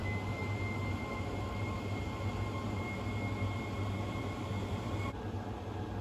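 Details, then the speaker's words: Worcester 28i RSF combi boiler with a demand created: fan hums steadily with a high whistle after a screw is undone, but no spark or ignition follows; fan and air pressure switch likely ruled out, overheat cut-off suspected next. "so we can rule out the fandom and air pressure switches you i reckon because i would have expected that to fire up"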